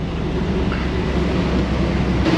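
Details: 2003 Chevy Tahoe V8 at idle just after a rear main seal oil leak repair and oil top-up; a steady, even low rumble with no knocks or ticks, smooth and healthy running.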